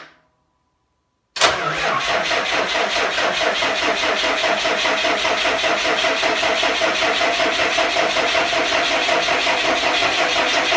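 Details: 5.9 Cummins 12-valve diesel on an engine stand, first start with hot-wired starter: short crank, catches immediately and settles into an even, clattery idle; healthy first start.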